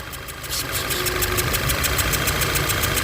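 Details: Volkswagen GTI direct-injection engine idling, misfiring, with a sharp rapid puffing tick and hissing exhaust leak under the intake manifold; idle unchanged, traced to a fuel injector seal burned out by combustion gas.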